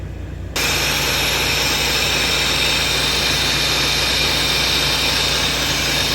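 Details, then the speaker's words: Volvo truck, disconnected at workshop, diesel idling: loud, steady hiss that never lets up, air dryer leaking completely so pressure gauge won't climb past green; owner plans to strip it to check for dirt or failed parts. "League ஆகிற ஏர் ட்ரையரில் league ஆகிற sound கேட்குது. என்னன்னு பார்த்துடலாம்."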